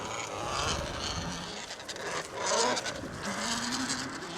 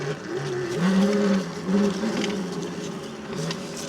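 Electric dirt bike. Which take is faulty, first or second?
first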